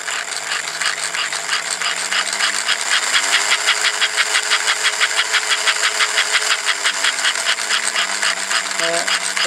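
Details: Circa-1952 A.C. Gilbert American Flyer 3/16" scale steam locomotive, brought in for servicing, tender relay for forward/reverse: steady rhythmic chuffing about three beats a second from the motor-driven piston chuffer over a motor hum rising and falling with speed; working properly.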